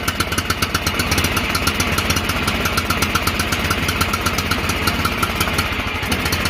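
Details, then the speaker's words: John Deere L108 lawn tractor revived after sitting about a year, on high throttle after a stuck throttle was freed: small single-cylinder engine runs steadily with even, crisp firing pulses, no hunting or stumbling. Normal running. "Damn throttle was stuck, bastard. Sounds like she's running strong now."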